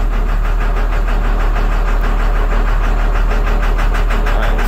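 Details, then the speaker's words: 2002 International 4300 box truck DT466E diesel, towed in inoperative with coolant mixed in oil, jump-box start, about 25 psi oil pressure: uneven idle with deep knock low in the block; suspected damaged cylinder liner: misfire with lower-end knock. "You can hear it's running with a miss. There's something really wrong down the bottom end."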